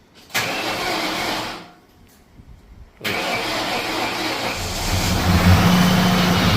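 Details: 2004 Mystichrome Mustang Cobra, two-owner, low miles, after bad CCRM replaced: short crank, brief pause, then V8 catches cleanly into steady even idle on all 8 cylinders, no leaks.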